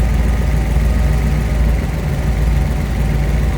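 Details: 1934 Ford Deluxe 3-window coupe street rod with a fuel-injected 327 V8, headers, aluminum radiator, power steering and A/C, idling: a deep, even rumble at steady idle with no knocks, misses or ticks. It runs smooth and healthy.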